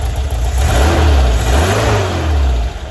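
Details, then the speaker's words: 1978 VW Bus 2.0L flat-four, first start in vehicle after renewal and conversion from fuel injection to carburetor with new carb kit, timing set, choke on; lumpy idle rising into quick clean throttle blips that settle back; normal healthy revving. "So let's kick her over and see what happens. Like she's happy."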